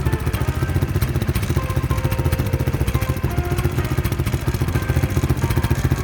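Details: Honda Wave 125 S motorcycle, starting by kick start only. The single ticks at idle with a loose, tinny clatter on each beat, about three or four a second, from the muffler and panels rattling loose.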